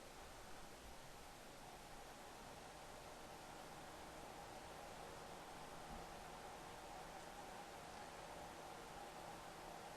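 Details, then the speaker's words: Corsair AX1200 power supply with replacement Noise Blocker Black Silent Pro PK3 fan turned up to about 2,300 RPM, camera about a foot away: steady strong rush of air, faint hum, no ticks or rattles; fan runs smoothly. "I just put it on now that fan there we're going to be running at 2,300 now the camera is approximately a foot away"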